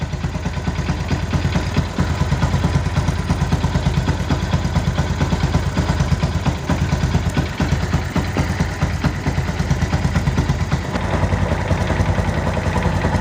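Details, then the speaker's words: Yamaha Byson single-cylinder 500 km after an engine rebuild, idling while warming up after fresh oil: rough uneven tick about twice a second from the left side, still present; owner suspects a loose cam chain, not confirmed. "pemanasan motornya cuman masih ada suara yang lumayan kerasa kayaknya sebelah kiri sini kalau sebelah kiri Ini berkemungkinan inilah rantai ketengnya memang mungkin sudah kendor"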